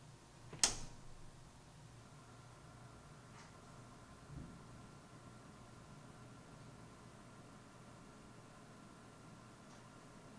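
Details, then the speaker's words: GMC K-2 HTPC case stock cooling, one 140mm and one 120mm fan: only faint even airy hiss, no ticking, rattle or whine; case fans running quietly and normally. "Finally, have a listen to the stock cooling."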